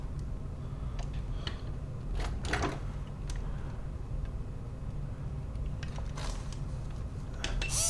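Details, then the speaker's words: MN99s RC car metal gearbox with geared motor, run at 8.4 V on the bench: steady, even low gear hum with light motor whir, no knocks or grinding; normal gearbox running, not very noisy. "some people say it's noisy but uh I ran it and it isn't that noisy uh comparatively to this one"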